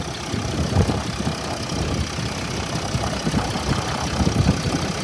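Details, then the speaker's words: Mercedes S-Class W222 with OM642 diesel, after refitting a disconnected injector connector and replacing oil and intake air temperature sensor: steady idle with usual light clatter and even speed; seems normal, though a fault light remains on. "как бы дело было не в победе, вроде нормально всё."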